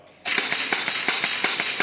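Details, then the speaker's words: LAB200 Travel/Omnia pilot-scale filter press feeding pump switched on by joystick to start filtration, pumping water from suction to delivery: sharp start, then an even, regular clicking beat of about six strokes a second; normal start and steady run. "If you switch in pump on position, you will hear that the pump will start."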